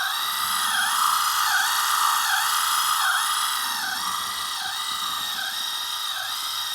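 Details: Lesu RC skid-steer on a 2S LiPo, gearbox spins free with no binding: a high electric whine pulses about four times a second and sags under load. The drive motor is weak and short on power; the owner suspects it is causing the ESC to fail.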